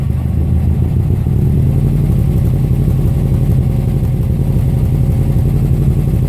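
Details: 2005 Subaru Legacy GT with the EJ255 engine: a loud, lumpy run with a choppy, stumbling beat instead of an even pulse. Engine misfire, cause unknown.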